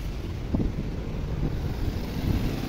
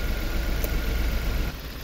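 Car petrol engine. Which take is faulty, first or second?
second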